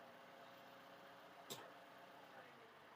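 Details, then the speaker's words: Toyota Camry 2.5 2AR-FE after balancer shaft replacement: quiet, even petrol idle in neutral and in D with no shake or knock, just one brief click midway. "Nah, halus ya. Aman, netral. D. Aman, sip."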